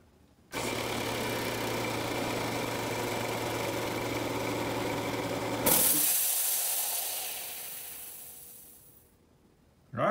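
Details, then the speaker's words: Craftsman 5 hp 20-gallon horizontal-tank air compressor, filling from 0 psi during a timed fill test. Loud, steady motor-and-pump drone with an even hum, then cuts off at 140 psi with a hiss of air; normal running. "so i'll have a timer running up there so you know how long that took and it kicked off at 140 psi"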